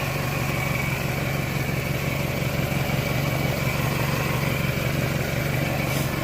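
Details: 1998 Toyota Camry after water pump and timing belt replacement; suspected bearing failure was water pump bearing debris; even, steady smooth idle with no knocks or rattles; normal idle.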